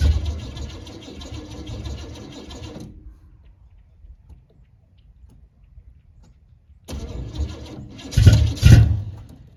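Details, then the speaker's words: 1978 El Camino V8 with no choke, cold start at 16°F in snow: rumbling idle, a quiet gap, then it catches quickly and blips up cleanly; a healthy cold start from a well-tuned engine. "look at that I've got this thing tuned pretty well 16° cold start with no choke and a"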